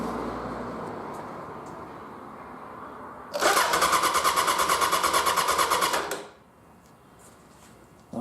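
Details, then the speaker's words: Motorcycle (1100G) starter cranking on a new LiFePO4 battery with voltage-drop diodes fitted: strong, even cranking for about three seconds; healthy starter. "I'm thinking that cranks faster than all that acid battery"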